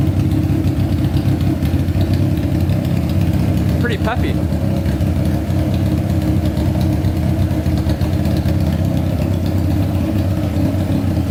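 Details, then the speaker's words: Honda CBR600 four-cylinder engine in a custom go-kart, carbureted: strong, steady drone with a deep, even exhaust and no knocks or rattles. Healthy revving. "um wow that sounds amazing geez that is going to fly"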